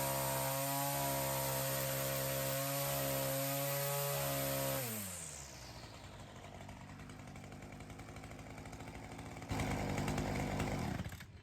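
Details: Weedeater two-stroke trimmer engine fitted with a new HiPA carb in place of the old one: strong steady high-rev scream dropping cleanly to a low, consistent idle without bogging; sounds much healthier than with the old carburetor.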